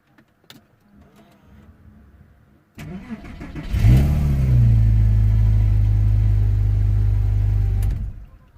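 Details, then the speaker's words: 2001 Porsche 911 Carrera 2 (315 hp) with intermittent no-crank fault, battery recently charged: quick crank, catches cleanly, brief flare, settles to steady even idle; starts every time, normal start and idle. "but he started every single time"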